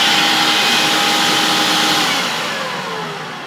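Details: Vintage 1976 UK-made Hoover S4002 Freedom cylinder vacuum cleaner running: a steady high motor whine with airy rush, even, fading slightly, no rattles or grinding; normal vacuum motor run.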